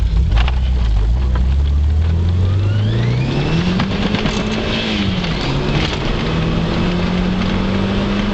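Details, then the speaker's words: Turbocharged car under full boost in first and fourth gear, around 65 mph: strong pull with rasping kazoo-like buzz rising in pitch with boost then holding; absent in fifth gear; source unconfirmed. "I don't know if you can hear that noise, but it sounds like a fucking kazoo."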